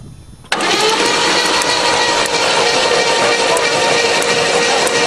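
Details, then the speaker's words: Hydrolocked Chevrolet engine cranked with spark plugs removed and throttle held open to expel water: fast even starter whirr with no compression pulses, sharp spark ticks; battery running down. "I hear lots of spark anyway well there goes the battery so we better uh stop for a while"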